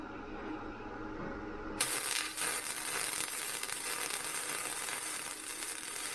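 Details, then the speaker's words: Vevor MIG 130 flux core welder, 0.8 wire, setting around 65; after a quiet start the arc becomes a steady even crackling sizzle like frying bacon, no popping or sputter; normal flux core weld sizzle. "you hear how smooth and fitting it is that's the sound you're looking for you want to smooth steady"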